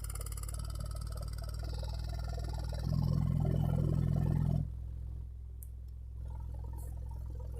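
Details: 15-inch NVX VCW dual 2-ohm subwoofer: a deep tone with a rough fluttering buzz and clicking about three times a second. It got gradually worse after being bottomed out hard. No burnt smell and no visible damage; light pressure on the cone stops it.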